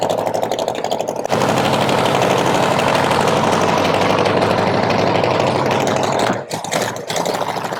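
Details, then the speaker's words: 1970 Chevy Nova SS funny car, 540 big-block with twin turbos: loud, lumpy idle with an uneven stumbling beat about 2.5 times a second while cylinders are checked by hand; weak or misfiring cylinder suspected, likely front number 2. "So what you're going to see is Riley's going to go around. He's going to put his hand over each cylinder like this. And what it's going to do, it'll let him know which cylinder is maybe not firing right or firing weak."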